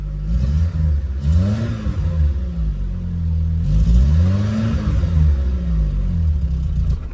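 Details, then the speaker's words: VW Polo breadvan carburettor engine; choke off, throttle blips rise and sag unevenly, revs falling off and nearly dying. Carburettor mixture slightly off and needs tweaking. "Yeah, he needs tweaking. Just a little tiny bit off."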